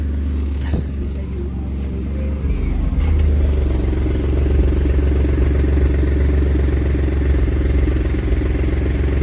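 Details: Ford F150 with misfire codes on cylinders 3–6 and O2 sensor fault P0130, started with the O2 sensor removed: it catches after a couple of seconds, then runs loud, deep and uneven with a pulsing beat; rough running.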